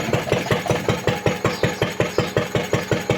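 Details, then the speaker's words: Vintage Lister D single-cylinder engine driving a homemade CVT friction drive (sterling board drive wheel): even thump about 160/min, unlabored with no speed drop; friction drive slipping near center, engine not loaded. "So the problem is not the engine power, it's simply the transmission of that power."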